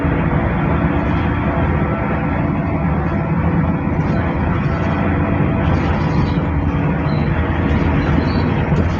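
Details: Mercedes OC500LE bus SMB107L on service 985, formerly at GBDEP on 190/190A, recorded while riding aboard: the engine was previously normal but now sounds like a big metal box, a constant heavy diesel roar with a hollow, boxy metallic ring; cause unknown.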